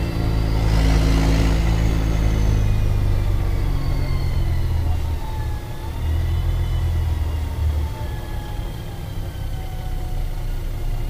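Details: Mercedes-Benz O-500MA bus, VB Transportes no. 1562, diesel: deep, rough rumble with a loose, uneven beat and raspy chuffing under the low end from a holed exhaust.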